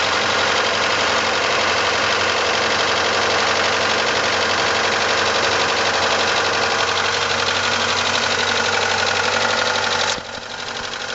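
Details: 1989 Ford Probe GT with F2T engine idling: a steady, regular knock about four a second over busy mechanical clatter; owner seeks a diagnosis of the engine knocking at idle.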